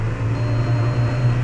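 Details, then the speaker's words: 2003 Volkswagen Jetta, engine near 3800 rpm in gear: steady low droning buzz, a vibration heard only right at 3800 and fine lower or higher; source still unidentified, driveline or clutch suspected. "oh yeah it's definitely still an issue I don't know if you can hear it but you can actually hear it right at 3800 and then anything lower or anything higher it's fine"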